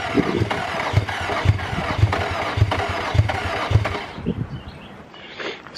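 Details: Infiniti G35 cranks steadily, about two turns a second, but never fires: crank no-start. Owner suspects starter or connections, or that it wants gas or fresh fuel; it started soon after.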